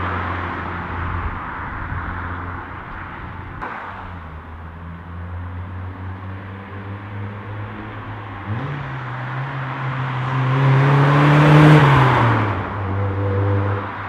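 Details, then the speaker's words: Mk1 Mazda MX-5 (Eunos) after fitting a new Cobalt cat-back single-tip exhaust from Moss Europe, started and revved: deep steady burble, revs climb smoothly and drop back, clean with no rattles or blows; exhaust sounds good. "as you can see, it's gone dark, but the job is done, and I have to say the exhaust sounds pretty good."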